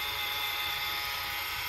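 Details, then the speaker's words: 2013–2017 Honda Accord, heard from inside the cabin: thin steady high whine over the running engine, rising in pitch and loudness with acceleration, from a dragging belt tensioner pulley bearing ("supercharger whine"). Tensioner pulley bearing whine. "it has some drag to it so it's creating a noise and if you keep watching in these videos you will see what i mean as you accelerate the noise will get higher and louder"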